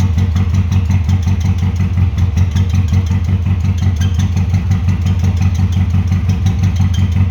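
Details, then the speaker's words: 1996 Subaru WRX after 7 years sitting, fresh oil and filters, original plugs, possibly blocked injectors: heavy uneven low thumping at idle, about three pulses a second, faltering; runs rough after coaxing onto four cylinders. "okay well the answer to the question does it run well yes it does and after a bit of coaxing got it to run on four cylinders"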